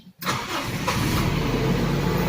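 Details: Toyota Corolla Big Body GLi AE101 with 4A-FE engine, after fixing its cold-start and hard-starting problem: brief crank, fires straight away, settles into even steady idle; normal cold start.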